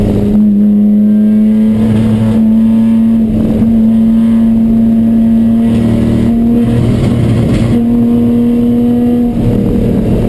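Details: Chumpcar race car on track at Watkins Glen, where the misfire began midday Saturday. A steady drone that stumbles and drops out briefly every couple of seconds: intermittent misfire under load, cause unknown.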